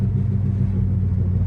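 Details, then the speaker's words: Ford Focus ST225 driving after drive shaft work, cold start, catalytic converter refitted; steady low drone under road noise persists; owner suspects wheel bearing or passenger-side hub, not confirmed. "Alright, let's see, shall we? Let's have a go. Okay, so test complete. We still have a noise."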